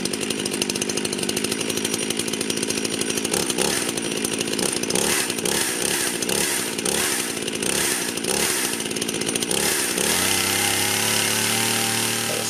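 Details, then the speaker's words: Rebuilt Husqvarna 51 chainsaw before carburetor screwdriver tuning: screams at high revs but the note wavers and burbles unevenly before settling; owner thinks it runs a bit rich, not confirmed. "I've got my screwdriver here we're going to go ahead and tune on it a little bit get it running better seems like it's running a bit Rich so choke it up"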